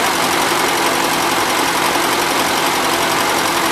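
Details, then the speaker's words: 1977 Gravely GMT 900 running on old gas with slight smoke; even, busy drone holding steady speed with no misses or heavy knock; no oil or antifreeze leaks; owner expects fresh fuel and a carb clean to help; normal running. "so I think with good fresh fuel and a good perk clean this thing will be a really good runner"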